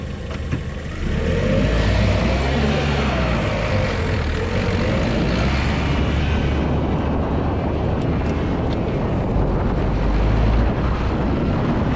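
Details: 2020 Lada Vesta SW Cross, 1.8 engine, AMT gearbox, 13,300 km, updated SAAZ front struts on rough road: steady low tyre rumble with no knocks or clunks from the front; struts working normally.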